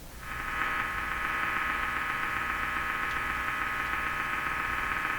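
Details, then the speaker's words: Hallicrafters SX-122 receiver after S-meter and BFO calibration: a steady hiss with faint hum stays constant while tuning across the band; internally generated noise. "So again, I'm tuning, and the sound, the noise is not changing."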